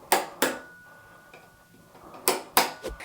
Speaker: Can you hear the problem? Now it's okay at 3:00 in the afternoon; it's sort of tolerable. But we can hear this clunk like three doors away down the street.